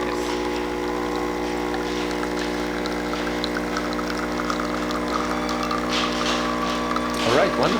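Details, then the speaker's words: Delonghi Magnifica after tune-up (lower brew unit replaced, descaled, upper brew unit gasket replaced) pulling a double espresso: brew unit moves, pre-brews, then steady vibrating pump hum at even pitch with no sputter or hiss; normal brewing. "I can just zoom in here so you can hear the rider engaging The Brew un it is moving then pre- [Music] brewing and now Brewing there we go"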